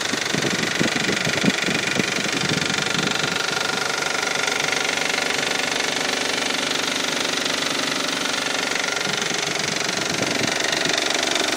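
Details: 2002 Isuzu idling, timing belt and water pump replaced in 2009: steady light tick or knock about four beats a second, absent at first start, beginning once revs drop to 1500 rpm.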